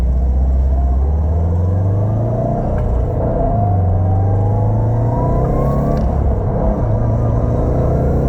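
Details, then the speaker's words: 2007 Subaru STI with a Cobb short shifter, on a test drive after fixing the shifter rattle heard at higher rpm: the engine pulls smoothly with a rising note and no rattle from the shifter. "I don't have a tripod but we're gonna do a quick test drive so you guys can hear that you don't you don't hear that noise no more"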